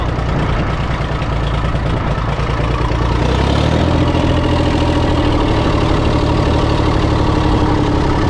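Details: International 454 British three-cylinder diesel tractor that missed when first started, running in neutral with the air filter removed: revs drop, then a steady, even chug with no skipped beats. Normal idle; a dirty air filter caused the miss.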